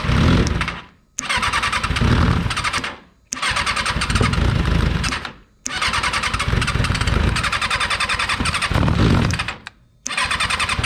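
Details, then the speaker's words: Freshly rebuilt Kawasaki 636 engine just installed in a car: catches in one-to-two-second bursts, cuts out and refires repeatedly; hard start, uneven firing, sputters. "feel like we need some to bottle action because when he when he goes over on those two it seems to do a little sputter yeah a few"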